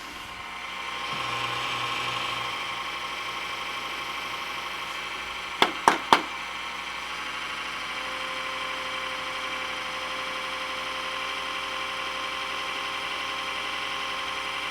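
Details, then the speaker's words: Dusty HP Media Center computer; steady rough whirring drone with buzzy edge, power supply like a cement mixer, getting louder. Noisy power supply fan, bearing suspected. "That power supply sounds like a flippin' cement mixer."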